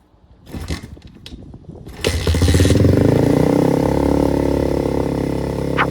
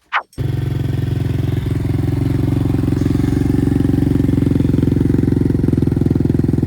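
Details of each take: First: Apollo RXF 125 dirt bike on its stock exhaust, meter about 1 m from the pipe: a few blips, then a loud harsh rising bark reaching about 95 dB versus 65 at idle. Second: Apollo RXF 125 dirt bike idling with the new quieter exhaust, reading 61–62 dB, lower than the old pipe: steady, even low thrum with an unbroken pulse and no misses or rattles; healthy idle.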